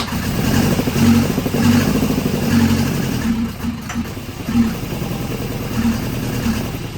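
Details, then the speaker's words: Volvo 242 petrol engine converted to carburettors, freshly started with distributor turned past normal: revs unevenly with a rough pulse and a brief sharp clunk; spark knock from over-advanced ignition timing. "You just hear it spark knock. It clunked a little bit. We got too much timing now."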